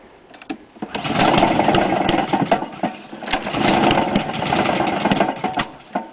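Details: Honda lawn mower run on white spirit and ether with cam chain timing two teeth out and crank bearing completely gone; stumbles and surges with uneven knocks over a rough beat from the failed crank bearing.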